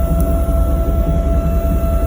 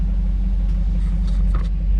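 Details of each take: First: Failing in-tank fuel pump on a 1998 Chevy Silverado K1500: insanely loud constant high-pitched whine over a rough idle, audible in the cab and outside; owner assumes the pump is going out. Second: 1998 Chevy Silverado K1500 after fuel pump replacement: deep, steady engine rumble with no high-pitched whine from the tank; fuel pump now quiet, truck runs very well. Normal running.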